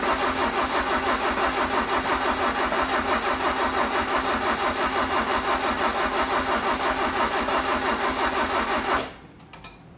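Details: Freshly built custom carbureted engine on first start, chokes held by hand: lumpy, slightly uneven beat around three pulses a second, then shuts off. It seems rich, though this may just be the new parts; cause unconfirmed.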